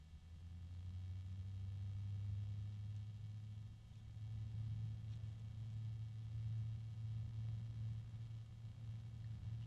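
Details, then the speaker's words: AmRunJe 12025x2S-USB dual-fan cooling unit, grills on both sides: a steady low hum of constant pitch under a soft whoosh of air. The fans give an audible, somewhat unpleasant hum. "little bit noisy with a a hum I think some people might find that a bit unpleasant"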